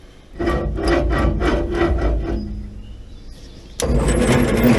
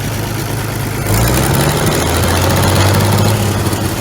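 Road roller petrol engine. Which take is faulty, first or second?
first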